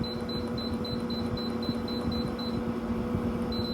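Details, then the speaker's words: Control-panel beeps on a GE AHTE06AAQ1 6000 BTU digital window air conditioner while stepping the delay timer up to its 24-hour max: short high beeps about four a second, a pause, two more, over steady fan hum; normal beeps, cannot be disabled. "And unfortunately, you cannot turn off the beeping sound or the lights. So just keep that in mind if you're installing this in the bedroom."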